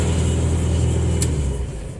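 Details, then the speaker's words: 1974 Chevy Vega, bone-stock four-cylinder, on the rebuilt stock tank with exterior electric fuel pump (thought to be about 35 gph): deep steady rumble with no knocks or misses, fading as it shuts down; running normally. "it does run we have a running 1974 Chevy Vega with a nice clean fuel system I love it"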